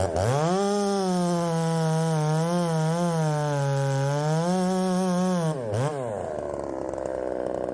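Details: Ported Poulan 3750 chainsaw, after the loose exhaust was retightened, tune unchanged: revs high and hunts up and down rather than settling, then drops away. It won't hold idle and richening seems to load it up.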